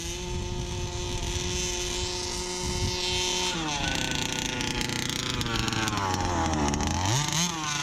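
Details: Brand-new Rofun Power 32cc two-stroke in a Baja 5B RC car, outdoor test: screams at a crisp high note, drops off and snaps back cleanly with no misses; healthy full-throttle running.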